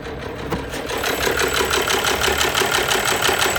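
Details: At idle, a sharp, regular knock of about three per second rides over the engine running note; an abnormal internal engine knock, cause not identified.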